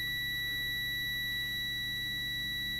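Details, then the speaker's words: Bosch/Neff/Siemens dishwasher NTC thermistor thermostat 00165281 in continuity mode, heated in near-boiling water: steady unbroken high meter buzz while the safety thermostat stays closed, normal before it clicks open near 85°C. "And you hear it beeping, and when the thermostat opens, the safety thermostat opens, it'll go click and the buzzer will stop. So when the buzzer stops, you can tell it's working."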